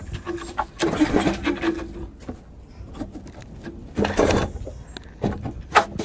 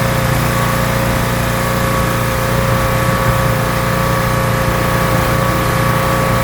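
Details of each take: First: Rebuilt pressure washer small engine with a leaking intake manifold, pull-start cranking: three short bursts with no firing; turns over but won't start, starved of fuel. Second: Rebuilt pressure washer small petrol engine with a known leaking manifold, spraying dirt off a car wheel: steady, even drone under full water load, no misses or knocks; runs really well, normal running under load.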